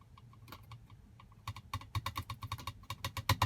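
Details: 2022 Tesla Model Y: quick, uneven bursts of light plastic clicks, growing denser toward the end, from the overhead console cover by the rear view mirror, held by only two clips, rattling loose.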